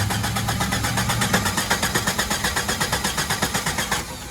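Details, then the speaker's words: 1997 Jeep Grand Cherokee, 4.0 L inline-six, on a jump pack; it formerly started then stalled at once: starter turns the engine over evenly but it never fires. No check engine light; crank no start from a failed engine computer. "All right, guys, so as you can see, this is a crank no start."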